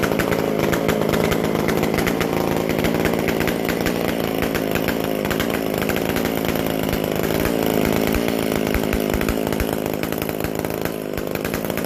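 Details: McCulloch Super Pro 125C chainsaw; loud raspy but steady high-speed run without surging, healthy, noisy because the muffler-to-exhaust gasket is still missing.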